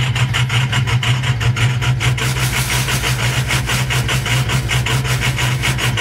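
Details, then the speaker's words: 2007 6.0-litre diesel that came in as a crank-no-start, with a faulty ICP sensor and blow-by from the dipstick: rough idle with a steady rhythmic skip about every third of a second, rattling the doors; dead cylinder from a failed lifter; engine needs a full rebuild. "this motor is shot it sounds like hell we can probably hear a dead skip back here"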